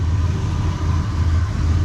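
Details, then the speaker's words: All-original 1976 Ford F-250 Custom V8 idling on the main tank, about a quarter tank of fuel: low, steady, even rumble, no belt squeal, ticks or exhaust or manifold leaks. Smooth, healthy idle. "See, it's running nice and smooth. No belt squeal. Zero exhaust leaks on this."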